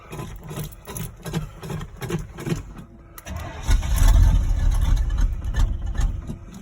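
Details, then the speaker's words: 1986 Chevy K10 squarebody V8, cold start on an icy snowy day with choke cable unhooked, pumping the throttle: slow uneven cranking chuffs for three seconds, then stumbling roar that sags; hard cold start without choke. "there's a choke cable i hooked up but i had to unhook it because it was causing some issues i'll explain that in a minute"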